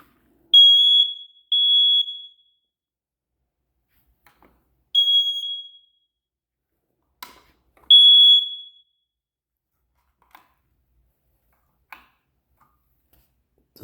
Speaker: that one's faulty so it's causing all of them to chirp